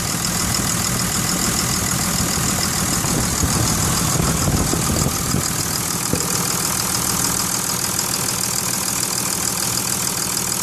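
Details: 2002 Cummins diesel idling with a steady clatter and a repeating knock, about three beats a second, heard best near the dipstick; cause unclear.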